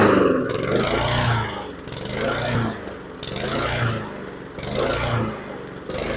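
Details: Husqvarna HU700F mower with a newly fitted GVC 160 carburetor, first run in 7 years: engine speed rises and falls in a slow cycle about every 1.5 seconds, surging after start. Owner suspects it was lacking fuel; cause unconfirmed.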